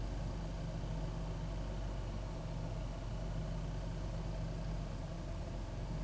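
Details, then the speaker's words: 2001 Ford Taurus after cleaning the throttle body and idle air control valve for a rough, irregular idle: low, even idle holding a steady beat with no hunting or stumbling; running better, new part needed if roughness returns. "it seems like it's running better but if it starts acting rough again i just have to put a new part on there you"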